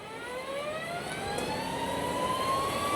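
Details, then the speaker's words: Energica Experia electric touring motorcycle riding on new knobby off-road tyres: a whirring tone climbs steadily with road speed over light hiss. The tyres are very loud on the quiet electric bike. "Mais il faut que je m'y habitue. Oh, c'est très différent. Ils sont bruyants."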